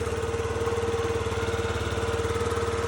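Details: 50cc Yamaha Vino scooter after repair with new battery and fuel injector connector plugged back in, starting first kick: steady, even single-cylinder putter at about four beats a second with a faint steady hum; healthy idle.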